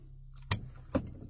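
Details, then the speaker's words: Lada Granta, one year old, about 20,000 km, in-cabin while driving over an uneven road after lubricating the doors: low road rumble and bump thuds, doors no longer squeak. "реально это помогает. Больше не скрипит. Вот сейчас по неровной дороге еду."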